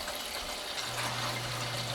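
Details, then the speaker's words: Old farmhouse hydronic heating, end zone purged after frozen pipe repair and refill: steady hiss of rushing water with gurgling as a lot of air is pushed through, then a low hum sets in. "This end one here has got a lot of air. You can hear"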